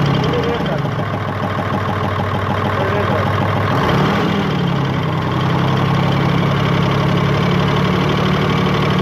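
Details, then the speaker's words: Hino Euro J08C six-cylinder truck diesel idling with a steady knock, about three a second, traced to the air compressor. "तो खैर मैं आपको बताता चलूं इसकी आवाज़ जो है कंप्रेसर की तरफ से ए रही है ठीक है"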